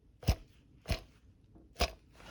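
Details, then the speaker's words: VW Tiguan timing belt job: removed idler roller turned by hand gives three gritty crunching bursts, rough and catching; the roller bearing is binding/seizing and was rustling. "він вже ньому Амба капець підклинює короче і то шарудів"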